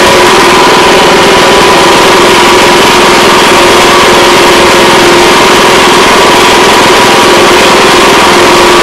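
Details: Honda Harmony 215 small single-cylinder mower engine, after years outside and a carb cleaning, runs steadily with an even, buzzy note and no knocks; healthy run.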